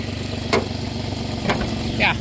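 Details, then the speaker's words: 2008 Dodge Grand Caravan SE V6 with about 448,000 miles, warmed up, after a new coil pack, wires and plugs: a steady, even low idle with a few brief clicks and no stumble. The owner suspects coil wiring causes its rough running. Normal idle now. "there she's idling perfect now. Good girl."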